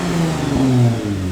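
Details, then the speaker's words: American truck V6 revving after fitting a new exhaust with a four-inch tailpipe, replacing original system with extra cats and silencer, clamps not yet fitted; short deep blip rising and falling cleanly, full even note, no rattles or misses; normal revving. "yeah that's right it's not so loud that my neighbors won't stab me but it's loud enough that he actually hears a v6 so it sounds pretty good i'm very happy with that"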